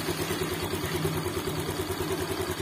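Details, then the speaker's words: Motorcycle after repair following oil starvation and suspected seized piston: steady even idle with soft regular pulse, smooth, no misses or knocks; normal idle. "Dan suaranya halus bosku, suaranya bosku ya, halus ya."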